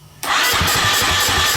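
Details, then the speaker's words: KTM TPI two-stroke, battery getting low: fast even cranking with a few sharper pops, wants to run but won't; pump audible but owner suspects it isn't pumping enough fuel. "so yeah i can hear the pump run it's just not pumping"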